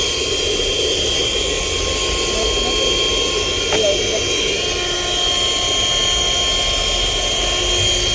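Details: 2019 Volkswagen Jetta air conditioning that does not cool and makes noise: removed blower motor run on the bench gives a steady airy roar with faint whistling tones; it is worn and needs replacing.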